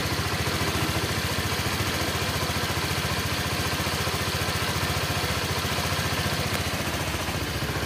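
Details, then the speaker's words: Honda Vario 125 after head and block rebuild, run warm with no coolant loss: even, steady, smooth idle with no knocks, rattles or smoke. Normal idle. "halus [Musik] [Musik] aman gak ngbul [Musik] halus suaranya"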